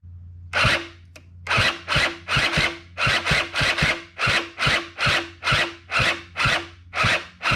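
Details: Honda Spree 2-stroke scooter (84 engine on 87 frame), cranking with exhaust removed: slow, heavy rasping cranking about two strokes a second, starter laboring and never firing; owner checked battery, spark, exhaust, starter; cause unconfirmed. Slow labored cranking.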